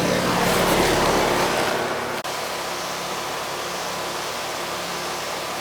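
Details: R22 Ruud central AC condenser, homeowner reported no cooling, running on a not-yet-hot day: smooth steady hum with even fan rush, no rattles or knocks; warm discharge and sweating lines, charge judged fine; normal condenser operation.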